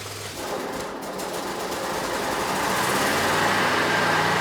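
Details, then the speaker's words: Bobcat (Ransomes 942205) zero-turn mower, Kohler SV730S V-twin, wiring repair, operator on seat, neutral, parking brake on: engine fires and builds to a steady, even drone with no misses or knocks; normal start and idle. "So, let's try this again. Let's start it this time. I'm on the seat. In the neutral position, parking brake on."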